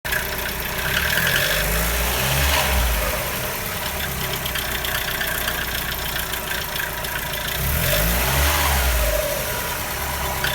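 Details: Mazda Miata NB making an abnormal noise at idle: an uneven rhythmic knock or flutter, about three beats a second, swelling every few seconds; source and fix unknown.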